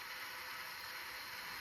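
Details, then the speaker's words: JVC GR-SXM330 Super VHS-C camcorder after transport rebuild (fix for clicking/E03 error): rewind gives a steady soft high whir with no clicking or ticking; normal tape transport rewind. "And you can see absolutely no clicks."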